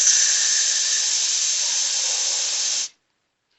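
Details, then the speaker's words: Semi truck trailer air tank drain valve released: sharp even air hiss for nearly three seconds, cutting off cleanly with no water droplets or mist; dry air, normal drain with no moisture. "But whenever I just released the air out of it, I didn't see any any water droplets spewing out or any mist spraying out."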